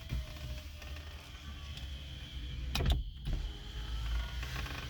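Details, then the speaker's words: 2008 PT Cruiser power window after transplanting a used motor from a parts car: a steady low whir at even speed with slight strain, no grinding or stalling. Normal window operation. "turn the car obviously you can hear it sounds like it sounds like a 1980s window there is strain in just a little bit but this is how the window should sound"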